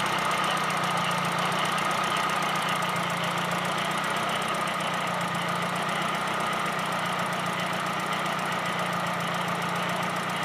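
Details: Light, fast ticking of about four per second rides over an even idle. The owner suspects the injectors; the cause is not confirmed.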